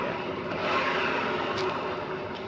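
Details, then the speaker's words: Yamaha Mio M3 scooter, rear wheel spun by hand: steady rough growl with no clean spin; suspected worn bearing in the rear CVT housing, to be confirmed by opening the CVT. "ini terdengar suara ngorok ya kalau diajak jalan dengan suara ngorok ya kemungkinan kalau problem ini bisa tiga pada lehernya yang kemungkinan besar adalah rap narasi belakangnya ya"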